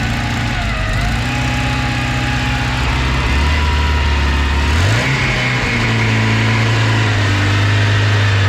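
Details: Tofaş Doğan car that ran on petrol but not on LPG. After the fault was found and fixed, a steady, even idle gives way to a clean rev rise that settles smoothly, with no misfire or stumble; engine running properly.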